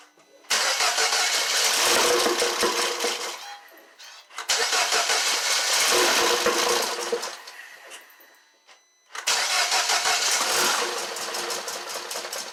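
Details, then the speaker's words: 2012 Mini Cooper Countryman at first startup after engine rebuild for P0304/P0300 misfire codes: three cranking bursts, each catching briefly then stumbling and fading unevenly; rough running because MAP and mass airflow sensors are unplugged, compression sounds good. "it's running bad because i don't have any map sense or anything or mass airflow sensor hooked up"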